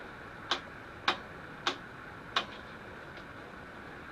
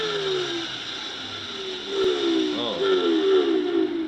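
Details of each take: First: Electrolux 280 vacuum cleaner, after disassembly and motor lubrication to cure a whining noise: a few handling clicks, then the motor spins up to a smooth steady whine with no grinding or squeal; repair successful, runs normally. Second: Electrolux 280 vacuum cleaner with the cover off, before repair: a steady high whine over a motor hum that wavers and sags unevenly; motor whine, possibly needing lubrication.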